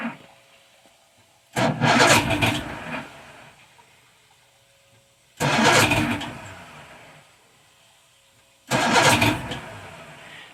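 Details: Old Evinrude 150 outboard, believed a 1978 model, out of the water, cold start on choke with no throttle: three cranking bursts, each catching roughly for about a second before dying. Hard cold start.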